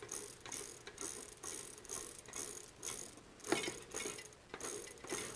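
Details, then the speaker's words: Trek 6500 mountain bike rear wheel spinning freely with quick, fairly even pawl ratchet clicking in bursts; previously sticky freehub freeing up as lube is worked in during cleaning and tune-up. "it's a happy freehub free hubs and free Wheels right Freewheel is when the ratcheting mechanisms are in the cassette or in the Freewheel in the gear cluster"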